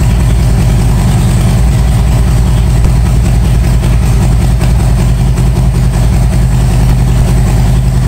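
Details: 1997 Harley-Davidson Road King Evo V-twin at its first start after a top-end and cam chest rebuild, with a pressure washer in the background; a steady, deep, even thump with no knocks or misses. Healthy, settled idle.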